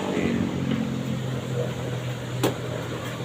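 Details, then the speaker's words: LG 15 kg washing machine after replacing the drum spider and bearings: a steady low hum on spin with one light click and no grinding or rumble. The spin is smooth and normal. "Nah, ini udah ya spin suaranya udah halus sudah enggak kedengaran."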